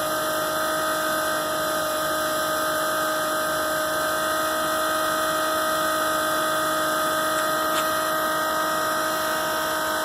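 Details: RV macerator pump emptying the black and grey holding tanks into a household toilet: steady, unchanging electric whine with a constant hum underneath, no grinding or labouring; normal running.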